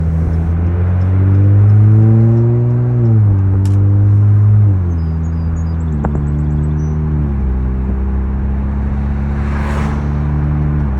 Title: 2015 Chrysler 300s clunking / clicking noise underneath “Help”